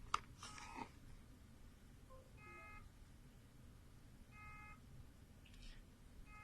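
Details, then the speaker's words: Dropped Seagate external hard drive powered via USB: short buzzy beeps about every two seconds, light stays on, platters not spinning because impact jammed the read heads. "ได้ยินไหมครับผมมันจะมีเสียงดังตื๊ดๆเป็นจังหวะนะครับไฟติดค้างนะครับพอเราเอามือจับดูมันจะนิ่งสนิทไหมมันไม่หมุนแต่จริงๆแล้วก็คืออาการนี้เนี่ยมันเป็นอาการของหัวอานซึ่งหัวอ่านมันติดขัดนะครับผมมันเกิดจากการตกกระแทก"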